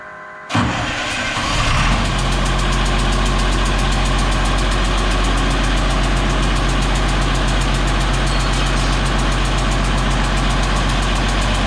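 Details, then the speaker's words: DT360 diesel first start after P7100 injection pump install: catches quickly and settles to a high fast idle with a sharp rapid tick; suspected injectors not sealing, possible exhaust manifold leak. "I don't like that exhaust. That almost sounds like a manifold. I noticed the idle's kind of high."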